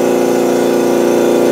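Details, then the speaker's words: New Makita MAC2400 air compressor: steady even pumping drone with a fine rapid pulse and no knock or rattle before shutting off; runs smoothly, normal. "she looks pretty good guys like yeah runs really smooth"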